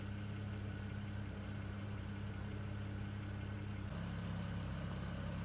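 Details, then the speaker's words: 2009 BMW 335i N54 cold start after upper radiator hose replacement: low uneven idle with rough stumbling pulse about three per second, misfiring at idle, unrelated to the hose job. "guys in typical in 54 fashion it's now misfiring completely unrelated issue"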